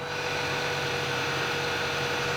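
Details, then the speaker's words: Lexus alternator still charging but worn: steady mid-pitched hum with hissy whir from the spinning old alternator, heard with an electronic stethoscope; bearing going bad and could lock up, being replaced. "but the old one as it's spinning you can hear the bearings humming that's that noise means it's time to change it sooner than later because if the bearing goes up this can lock up yo"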